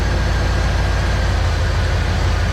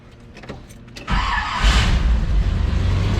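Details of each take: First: Petrol engine idling deep and even while a new distributor is fitted; timing light shows ignition far too advanced, and idle speed eases down as timing is turned back. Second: Late-80s/90s Chevy truck after distributor replacement (Hall effect switch suspected), timing not yet set: quiet, then engine catches cleanly and settles into even steady run with no misfire; starts normally.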